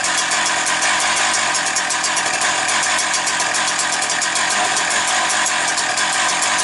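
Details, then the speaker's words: Husqvarna 365 two-stroke chainsaw idling around 700 on the tachometer, still warming up (revs expected to drop when warm): even, buzzy burble at a steady, slightly low idle with no misses or surging; healthy. "700. Отак можна трошки добавити. Вона нагріється, вони ще впадуть навіть,"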